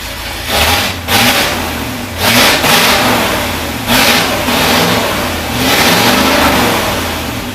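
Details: Cold 1973 International Loadstar Blue Bird bus engine, after an accelerator pump diaphragm replacement, picks up cleanly on each throttle blip and drops back to a steady idle without stumbling. The high idle was likely from a vacuum leak, and the choke linkage is still frozen.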